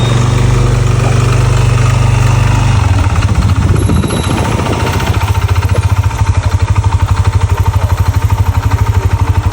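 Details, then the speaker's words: Yamaha NMAX scooter idling with a rough, loud clattering knock like a lawn mower, plus vibration; stuck piston rings and an oil passage problem scored the piston and cylinder block. "Kali ini kita kedatangan motor Yamaha NMAX yang dade, yang dimana keluhan motor ini tuh berisik bagian permesinannya, dan yang parah lagi tuh getar ya guys."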